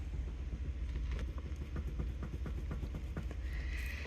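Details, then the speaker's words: Volvo S70 front steering with outer tie rod end loosened: sharp, uneven clicks, two or three a second, as the floppy, worn inner tie rod is rocked by hand. "I got the outer tie rod in loose now you can probably see how floppy this inner one is and hear the clicking in"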